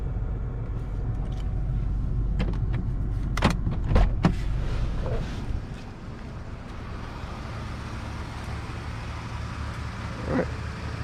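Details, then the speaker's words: 2009 Nissan Versa 1.8L SL, about 157,000 miles, idling after replacing the cylinder 4 coil pack that caused a misfire: low, smooth, even idle with no misses or ticks; normal idle, no codes. "No problems. Okay. You see that idle's real smooth."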